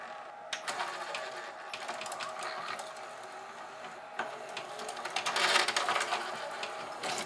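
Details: GoVideo DVR4000 DVD-VCR, almost no take-up torque, drive gear cracked and detached from clutch: thin uneven whirring with scattered clicks and strain as the tape transport struggles and won't eject; owner also suspects video lights upsetting optical sensors.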